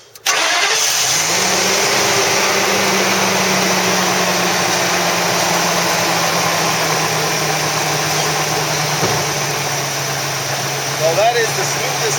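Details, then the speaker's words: Tinker Truck engine after repairing a blown-out spark plug thread with a Dorman insert sleeve, the cylinder having been dead before. It fires first try into an even, steady idle with no misses or knocks, the smoothest in a long time. "smoothest it sounded in a long time. Alright, I think it's gonna work for a little bit, maybe for a lot of it, and that's what we're hoping."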